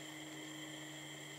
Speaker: the unit's going i can see the flame right here and you can probably hear it